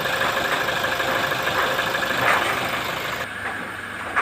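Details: Toyota Innova 2.8 diesel, recorded from under the vehicle: busy loose metallic clatter at idle from inside the transmission area, loud when the clutch pedal is pressed; clutch release bearing clatter.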